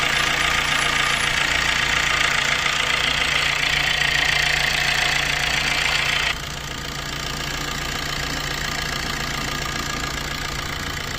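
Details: Maruti Dzire after timing chain replacement for heavy chain noise: a steady, even idle hum with no chain rattle or slap, settling slightly quieter midway and running smoothly. Normal idle.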